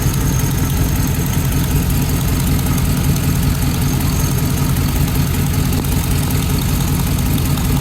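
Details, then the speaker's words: V8 Hummer idling with fast sharp ticking like an exhaust leak, customer complaint of exhaust noise; cause a loose spark plug leaking compression. "somewhere that would be a loose spark plug there's your lady"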